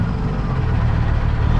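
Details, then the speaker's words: Semi truck with loss of power: deep diesel idle with an uneven, lumpy beat and a hiccup at low rpm, loading up heavily; owner suspects injectors not firing well, possibly the cam. "so yeah you can hear she just got a little bit of a hiccup on the low"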